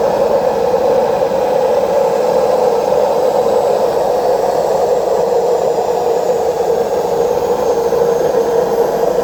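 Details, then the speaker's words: Washing machine during the spin cycle: loud, steady jet-like roar with no rhythm, typical of worn drum bearings; fix is to replace both bearings and the seal. "Cuando ustedes se encuentren con este ruido, es el famoso turbina de avión, es porque tiene problema en los rodamientos. O sea, hay que cambiar los dos rodamientos y el retén."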